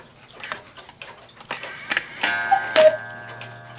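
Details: One-day cuckoo clock (owl and grapes) with rack and snail striking, quieter than another clock. Steady light ticking, then a short bright ring of chime strikes: runs and strikes cleanly, in good order.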